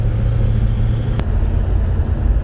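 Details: 1972 Chevelle Malibu, 383 small-block V8, after installing Doug's 1-5/8 x 3 in headers and a Flowmaster 2.5 in H-pipe exhaust: deep, even, steady rumble with no ticks or leaks; normal V8 exhaust note.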